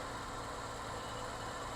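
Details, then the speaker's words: Nissan R33 Skyline with an intermittent idle problem, owner suspects the idle air control valve: quiet, even idle with a steady low hum and no stumble or miss; once running it idles smoothly. "But it runs smooth. So once it's running, it's pretty smooth."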